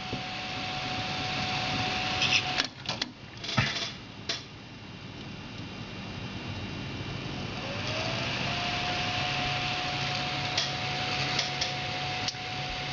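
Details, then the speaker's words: HD4870 graphics card with its stock dual-fan cooler at 50% fan speed, the card around 60°C. A steady loud airy whoosh with a faint high whine; it is the loudest thing in the case. "this one has the Dual fans on it which is nice except for this one problem it's loud it's very very loud"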